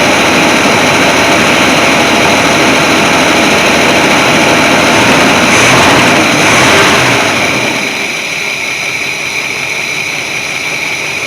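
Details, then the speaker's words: 1981 Chevy C30 dually, revived after sitting 10 years, warmed up: mild revs rise then fall back to idle, pickup hesitant and uneven; accelerator pump works but the carburetor stumbles off idle. "sounds pretty good that uh carburetor the accelerator pump's working but it's stumbling on itself and good enough for what we're doing right now"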